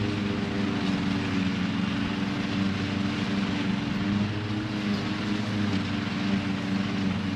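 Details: 26 HP Kohler V-twin lawn tractor mowing deep grass at full throttle after two new ignition coils were fitted. A high drone with a wavering, uneven note, still sputtering at high RPM. Cause not yet confirmed.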